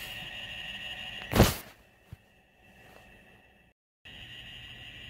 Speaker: you're gonna have to hear that squealing that I've been hearing all night. So, sit back, relax, and enjoy the crazy squeal.